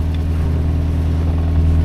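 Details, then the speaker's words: 1938 Chrysler Imperial idling after front-end repairs, now drivable though the heater core still needs fixing; deep, even exhaust burble with a steady low rumble and no knocks or misses, a healthy idle. "that sounds so good man listen to that thing like the exhaust note"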